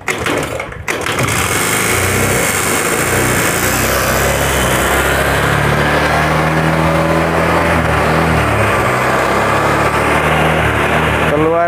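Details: Honda Vario 110 whose piston seized from running out of oil, freed with oil poured through spark plug hole: engine catches and settles into fast, somewhat uneven running, thick smoke expected from the added oil.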